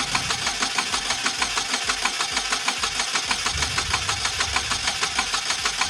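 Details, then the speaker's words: 2008 Pontiac Solstice just started after head gasket replacement (cooling system had leaked water pump): sharp regular tick about 1.5 per second over rough idle; possibly gasket leaking, cause unclear; engine later ran quietly. "foreign everything it's pretty crazy noise [Music] sounds like it take gasket leaking"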